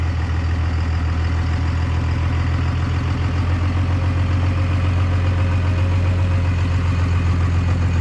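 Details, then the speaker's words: 1998 Dodge Ram 2nd-gen Cummins diesel, first run after the owner fixed his problems, on temporary power and no coolant: smooth, steady low thrum pulsing about three times a second, oil pressure and charging, no knock, tick or miss; normal idle. "purring like a kitten got oil pressure charging"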